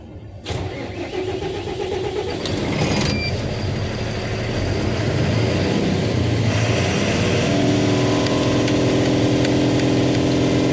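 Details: Tata 4825 BS6 truck with Cummins diesel, after fixing the neutral indicator that prevented starting: brief starter crank, then it catches and settles to a steady, even idle with no hesitation; normal start.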